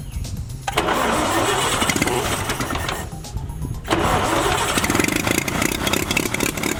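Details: Oliver OC3 tractor's first start after fitting a new carburetor and linkages, with fire, compression and fuel set up and timing possibly needing to be pulled forward: the engine catches, dips briefly around three seconds, then picks back up and runs steadily. Normal running.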